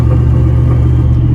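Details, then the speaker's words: 4.8 LS V8 on a stock Vortec harness and ECU in an S10 truck: it idles with a heavy, lumpy, unsteady rumble after a failure on the drive home from a drift event. Owner suspects an electrical fault in the harness or ECU, to be replaced by a Holley Terminator X. "We had some major issues on the way home. Wasn't sure we was even gonna make it home, but we did. It's still running awful right now."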